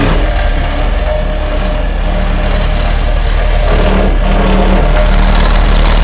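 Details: Homemade hydraulic vibratory roller from Case 252 roller front end on Cat 226B skid steer, vibrator running: heavy diesel rumble with steady even throb, no knocks or grinding; normal operation.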